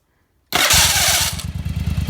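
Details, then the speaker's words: First-gen Yamaha Virago with experimental Bendix gear holding lever and no starter clutch: harsh metallic grind at start-up for nearly a second as the starter gear can't disengage the faster-spinning flywheel gear, then settles to idle. "it can't get back fast enough to get that gear off of the flywheel gear because it's trying to turn faster than the starter motor and so it just grinds against the gear"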